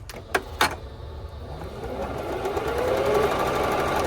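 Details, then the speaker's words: Singer Stylish 7528 sewing machine after an E4 error repair. E4 relates to the zigzag stepping motor; the fix was a mispositioned gear, now centred. A couple of clicks, then the motor spins up into a smooth, rising whirr on bobbin winding, with no E4. "Machine now, it's perfectly working. I'm going now to turn on the machine. No more E4."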